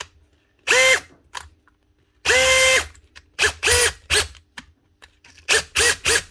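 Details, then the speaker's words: Makita DHP483 18V compact drill, heavily worn from factory use, before repair: short trigger bursts with a coarse, raspy whine and rubbing edge; suspected worn gearbox bearing, fixed with a new 604 bearing, switch and chuck. "Pretty sure this is brushless. Sounds like there's a bearing gone, or at least it's rubbing."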